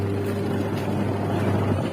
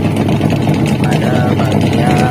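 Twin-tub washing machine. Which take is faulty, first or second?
second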